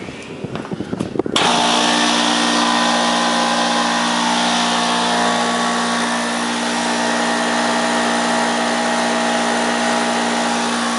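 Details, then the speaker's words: Oilless air compressor, newly wired to a 240 V plug, first run: after some clatter the motor kicks on and holds a loud, steady buzzing hum with an even, fast beat; normal running, just loud as oilless units are. "These things are loud as hell, though. Yeah. The oilless ones, they make a lot of noise."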